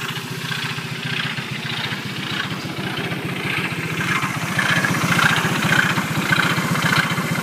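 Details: Engine idling after it suddenly stopped during an incident: steady pulsing beat near two per second with faint ticking on top; abnormal noise, cause unclear.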